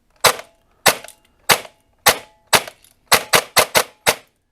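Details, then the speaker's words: Airsoft P90 with Perun P90 MOSFET, DSG gearbox and 36K motor, ten semi-auto shots through a chrono: sharp, clean cracks with quick decay and no drag or stutter; gearbox cycling properly on semi. "As you can see, it's still shooting semi-auto just fine, even at with the DSG with the 36K motor."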